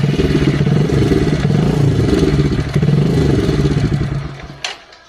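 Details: Motorcycle engine idles with an even, steady beat, then shuts off, with no obvious top-end rattle; this is normal idle from a before/after timing chain replacement, where the rattle was blamed on a loose chain, worn pads or a faulty tensioner.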